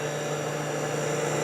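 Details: Kenmore dehumidifier reassembled after cleaning and oiling of the fan motor: smooth, constant hum with even airy fan rush; few vibrations and no rattle; running healthy.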